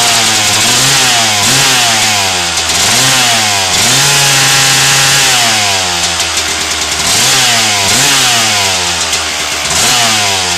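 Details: 1997 Suzuki RM250 two-stroke after header pipe dent repair: crisp buzzy revs blipping up and down repeatedly, clean rise and fall with no bogging or misfire.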